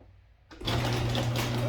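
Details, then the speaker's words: Honda XR80 (possibly XR90) fitted with a new throttle cable, revving high on startup; carburetor to be inspected. Catches and settles straight into a fast, steady buzz without dropping back. High idle on startup. "just like the gentleman said she uh she revs on a high heel when you uh started up so let's see"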